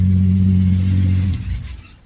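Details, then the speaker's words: Swapped Ecotec engine: steady deep hum then shutoff, no knocking; power steering pump noisy with air, owner thinks pump cooked earlier; runs well. "d. Oh, that seems a lot better. Oh yeah. That noise there, I'm going to assume is the power steering pump."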